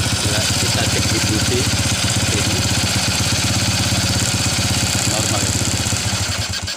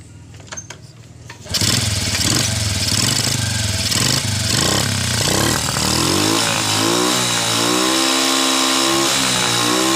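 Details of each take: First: Early-generation Honda Revo carburetted single-cylinder motorcycle, hard to start and dies on throttle: choppy, uneven idle that sags and dies; ignition coil spark checked normal, spark plug black and dry; cause was a clogged carburetor jet. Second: Honda Revo motorcycle after cleaning the clogged carburetor jet and refitting the carburetor: catches after a few cranks, holds a steady idle and revs up and down cleanly without bogging; some white smoke reported at high throttle.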